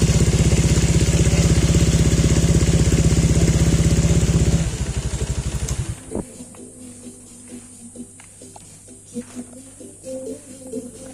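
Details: Honda Vario 125 LED New scooter after CKP crankshaft sensor replacement (fault caused no-start, relay clicking, MIL on): smooth, even low putter at a steady beat for several seconds, then winds down and shuts off cleanly; normal idle.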